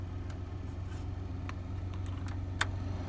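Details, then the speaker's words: 1999 Chevy S10 cabin blower after replacing the blower motor resistor (speeds 1 and 2 previously dead): steady low hum with even airflow rush and faint clicks on low speed; blower now runs smoothly, fixed. "there you go you guys can hear it i'm sure before you couldn't"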